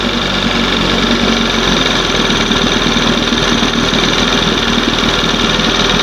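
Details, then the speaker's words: 1971 20 hp Johnson two-stroke outboard: after leaning the carb mixture the RPM picks up slowly to a fast, steady buzz with no dips, well above proper idle; idle speed too high after leaning. "RPMs pick up as I leaned it out. It took it a minute, didn't it? Now watch. See the difference? It's idling too high."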